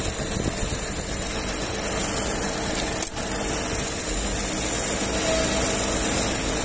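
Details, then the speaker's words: VW up! TSI at idle after a slight blip; PWM-controlled radiator fan ramps up like an adjustable ceiling fan, now blowing strongly; steady rushing air over smooth even idle; checked and found normal radiator fan operation, not a fault. "dá para perceber o barulho da ventilação ligada agora"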